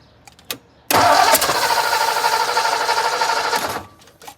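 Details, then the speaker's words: 1957 Ford Thunderbird just after an Accel electronic ignition conversion: the starter churns steadily for about three seconds but the engine never fires; crank, no start. Timing suspected off; it later ran with an exhaust crossover leak. "are you not firing up? Well, we just gonna probably have to time it, but go ahead, fire it up."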